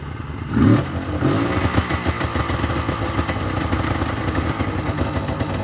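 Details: 1999 Yamaha VMAX 700 triple snowmobile, two-stroke, revved after plugs checked (one white, one darkened): uneven stumbling beat and clatter, bogging at low end, not clearing cleanly: misfire with one lean-running cylinder.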